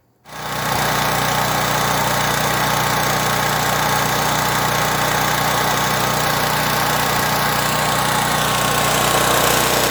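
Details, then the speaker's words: Pro Force Powermate 2500 W generator: after its surging was fixed by cleaning the carburetor pilot jet, the small petrol engine starts and holds an even, steady drone with no surging. "all right so as you can see that cleaning that pilot jet did the trick pretty easy to do"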